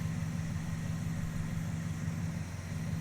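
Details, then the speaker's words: 318 V8: low idle with faintly uneven, loping beat; engine jittering and ignition wire shaking, rough idle, cause unknown (possibly something broken or tune not dialed in). "But something's weird. The more you look at it, something weird stuff happens. I don't know if you guys can see the motor is kind of jittering around a little"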